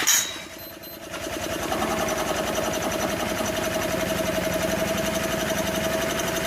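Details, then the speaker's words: 1984 Honda EM600 generator, single-cylinder, started without the air cleaner to adjust engine speed against an AC voltmeter: slow, loose, uneven chugging with a sagging drone; owner suspects the speed is set too low. "okay here we go just start I might have it way too slow"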